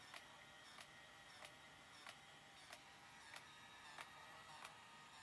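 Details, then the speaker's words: 1983 Mamiya M Time Memory autofocus 35mm film camera, rewind switch held down after the roll is finished: a faint steady motor whir with light clicks about every two-thirds of a second as the film winds back. Normal motorized rewind. "아 다 찍고 난 다음에는 여기에 리와인드 있죠 리와인드 스위치를 어케 내려주시면 이게 알로 바뀌어요 비인가 합니다 근데 이게 쭉 내려 주셔야 되겠네 매주 골 좀 기다려야 됩니다"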